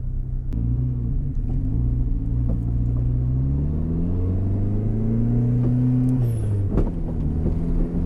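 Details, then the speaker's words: 4G63 DSM-swapped AWD Mini Cooper on its first test drive in snow, untuned: engine drones and rises under throttle with sharp thumps on load changes; a loose rear lower control arm mount slams against metal under braking and acceleration. "I'm getting some like I think that's the suspension flexing and every time it flexes it's like punching"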